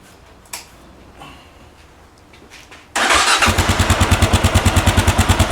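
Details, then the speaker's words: 2010 Kawasaki KLR650 single-cylinder starts and settles into a steady, even thumping idle, then revs, with no exhaust chirp; owner suspects the exhaust was already modified. "Ado so as you can hear there's uh doesn't seem to be any trip there so we'll rev It Up so I can't see any Tri hear any tripment at all"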